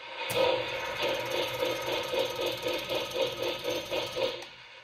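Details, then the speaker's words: 3rd Rail brass Big Six model locomotive at first speed step: light, uneven ratcheting pulses, about four a second, fading as the motor winds down; owner suspects the flywheel set screw loosened so it spins free, unconfirmed. "You hear that little grinding sound? I'm kind of thinking the flywheel got loose and it's just kind of spinning."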